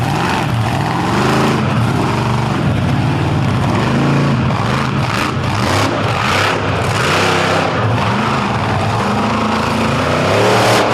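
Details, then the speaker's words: Racing pulling truck under full load at high revs, labouring with faint irregular clicking beneath the roar; stays running but won't make horsepower, cause unclear. "it does not want to get up and make hors power and you can hear it kind of clicking in there then"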